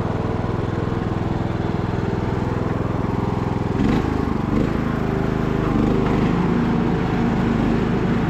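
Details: Abandoned MTD Bolens riding mower revived: single-cylinder engine restarted after fuel valve was found off, blades engaged; steady, even drone with no misses, knocks or surging across the run, running super smooth and healthy.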